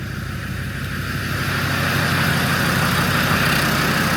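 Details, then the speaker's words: Land Rover Defender Td5 110 with a GTB450 turbo on the dyno, running cold on reconditioned 15P injectors: slightly lumpy, uneven idle; cylinder roughness shows number three far out, with four and five close behind, from mismatched injectors. "Just looking at the cylinder roughness there. We've got number three seems a mile out. Number four and number five aren't far behind it."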